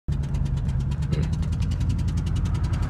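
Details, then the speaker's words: 1999 Ford Expedition 5.4 Triton V8, spark plug blown out of the cylinder head a second time in six months, injector unplugged; sharp rapid puffing tick about ten times a second over rough idle; blown-out spark plug. "what it sounds like when your Tron engines spark plug blows out again 99 Expedition sucks"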